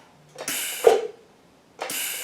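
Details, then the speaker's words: Harbor Freight Vulcan 165 TIG welder, after moving the torch to the negative feed and the ground to positive, which had stopped the gas from flowing; the valve clicks and gas hisses in two bursts, shielding gas now flowing normally. "It goes to the negative feed, and the ground goes to the positive. So that's why it wasn't flowing any air or any gas."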